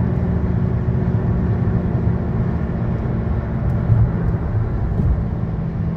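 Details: 2013 Chevy Sonic, 75,000 miles, driving: steady low droning hum over road rumble from a bad left front wheel bearing, passenger-side bearing new.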